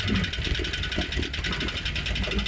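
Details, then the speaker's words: Cheap Mercedes ML63 that sat about three months, jump-started: heavy steady knock in time with idle, deep in the block; previous owner said the engine was blown; bottom end knock, rod bearing damage suspected. "that sounds healthy I sound like bottom in but well the the previous owner telling us that add a blo engine might be right so take a listen to this knock"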